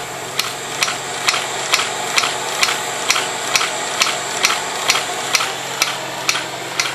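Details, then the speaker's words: Beta Stirling engine running with little torque or pulling capability, speed creeping up a little after slowing; crisp, even mechanical ticks about two per second; normal running. "yeah it doesn't have back to it doesn't have a lot of pulling capability doesn't have a lot of torque now it's speeding up a little bit"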